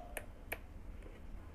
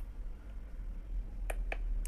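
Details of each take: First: Coffee maker that won't heat: two crisp relay clicks, on then off, with a lamp substituting for the heating element; board sends voltage normally, fault is the heating element. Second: Coffee maker that won't heat: three sharp relay clicks over a low hum, no heating or pumping sound. The board is sending voltage, but the 220 V 800 W heating element is faulty and neither heats nor draws water; the element is to be replaced.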